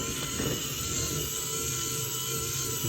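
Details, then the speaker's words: 1/6-scale 5-cylinder radial model engine kit, electric motor turning gear train, pistons and valves: smooth, steady whir with faint even ticking, no catches or grinding; mechanism running sweetly, normal. "Nice smooth running as well from those gears. And those pistons up and down as well."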